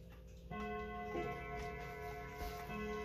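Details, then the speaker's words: Ansonia Clock Co. Gingerbread eight-day pendulum clock, fully wound and started with a push, running normally: even ticking with clear ringing chime strokes as it strikes the half hour and hour. "starting the pendulum is done by just giving a little push and you'll hear it ticking to set the hands turn the hands clockwise slow down as you approach the half hour and allow it to strike"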